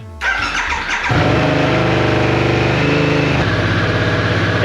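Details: Harley-Davidson Sportster S, normal start: the starter whirs briefly, then the engine catches cleanly and settles into an even V-twin idle with no grinding or clatter. This is how it should sound, though the owner says the starter clutch sometimes fails to start the bike until the ignition is cycled.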